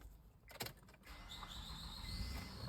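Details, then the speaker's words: 2007 Honda Odyssey 3.5 V6 after timing belt, water pump and tensioner replacement, jump-started on a weak battery: cranks and catches, then a thin high whine rises and holds; owner suspects the starter, not confirmed. "I don't know if you heard that wind sound so that whining noise I'm pretty sure it's going to be a starter"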